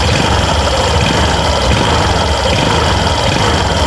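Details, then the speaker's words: Suzuki Burgman Street scooter with torque drive and pulley set removed, troubleshooting noisy CVT: engine revs loudly and evenly, no knocking or grinding from the crankshaft end; crankshaft normal. "So ito yung tunog niya boss kapag walang kinakabit. So normal yan wala."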